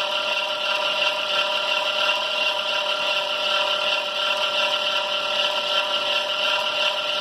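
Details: 2005 Dodge Caravan: steady rough hissing rub with faint high whir at idle from the serpentine belt; baby powder on the belt has not helped, cause unknown.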